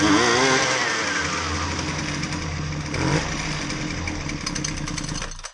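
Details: Husqvarna 128LD string trimmer with edger attachment, before repair, complaint it only runs on half choke: high buzzing two-stroke wavers and sags, then dies after about five seconds; fuel starvation, running lean.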